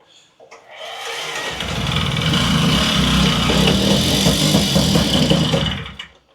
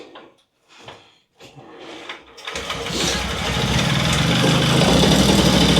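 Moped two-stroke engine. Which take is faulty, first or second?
first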